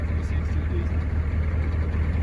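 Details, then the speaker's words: 1984 Chevrolet K10 Silverado Stepside with a 6.2 diesel (126 hp), overdrive 3-speed and factory four-wheel drive, started at idle: a steady, even low diesel clatter about four ticks a second, nothing irregular; normal healthy diesel idle. "Now, if that doesn't sound like a Chevy small block or a Chevy big block, that's probably because it isn't. Neil, that sounds like the good old clack of a 6.2 diesel."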